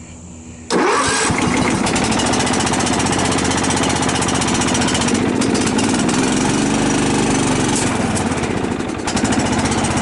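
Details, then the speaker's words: Cub Cadet LT 1018 lawn tractor, 150 hours, long-sitting after tree damage, stabilized gas: catches first crank, settles into steady even idle with no misses, knocks or rattles; healthy start. "sounds pretty good now cues It Go moving is good"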